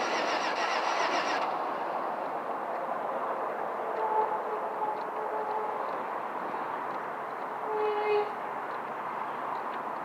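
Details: 2005 Chevrolet Venture: steady fast cranking churn around three to four beats a second, engine spins freely but never catches; crank, no start.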